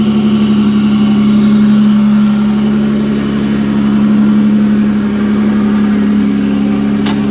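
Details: 1992–1996 Toyota Camry V6 engine running on a newly built standalone harness with no key, starter wire cut, terminals tightened, air intake fitted, in drive; smooth, steady idle with no ticking, misfire or surging. Sounds really healthy: normal idle.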